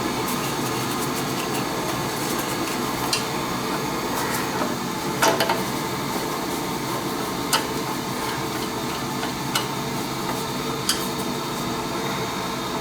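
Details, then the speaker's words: Oil boiler that was not heating, after replacing the control: steady, even roar of flame and fan with only a few light clicks, no pulsing or rumble; burner running clean, much better than before. "sounds like a thousand times better now"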